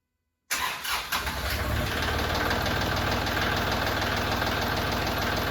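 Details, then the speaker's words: Kubota L3560 tractor diesel just after oil and filter change (200-hour service), oil possibly slightly overfull: cranks briefly, catches within a second, settles into steady even diesel clatter; normal start. "So anyways, long story short, we're gonna start it."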